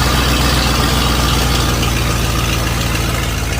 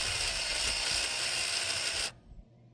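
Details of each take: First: 1955 Buick Super on 1973 Electra frame, 455 big-block V8, new fuel pump, K-Seal radiator leak fix: deep, even burble around three pulses a second, no knocks or ticks; temperature holding 180, no oil gauge yet, healthy warm idle. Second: 1955 Buick Super with 455 big-block on a 1973 Electra chassis: a small temporary electric clicky fuel pump, rigged to pull fuel because the long-sitting original mechanical pump wasn't pulling, buzzes harshly for two seconds then dies; better pusher than puller.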